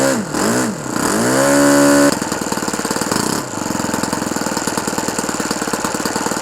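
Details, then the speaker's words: OS FS-120 Surpass 20 cc four-stroke methanol model engine, restored with new ring, running in on 15x8 propeller, at temperature, about 8730 rpm on tachometer, still slightly rich; quick revs then steady crisp purring beat, no misses; normal running. "et on l'entend bien qu'il ronronne. Encore un petit peu trop riche, mais je vais le laisser comme ça pour aller dans les tours pour le moteur."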